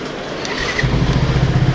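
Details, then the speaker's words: Yamaha FZ V3 FI with bank angle sensor line connected (pump now working, quiet): short cranking whirr, engine catches near one second and settles into steady even firing; normal start, no other noise. "വണ്ടി start ആയി perfect ആണ് വേറെ ശബ്ദം ഒന്നുമില്ല എല്ലാം clear ആണ് ഓക്കെയാണ്"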